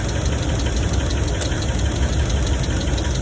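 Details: 2017 Ram 1500 5.7L V8 at idle with a fast tick and a deeper thumping knock underneath, with a misfire; owner suspects the lifters and plans to swap the number three coil; ticking and knocking at idle.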